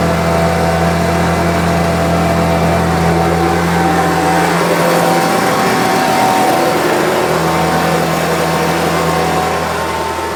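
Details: Homelite UT08572 two-stroke trimmer after repair: steady idle rises into a quick rev midway, then drops back and settles evenly without stumbling. It earlier would not idle down, and the owner is checking whether an earlier "tink" noise is gone. Running well.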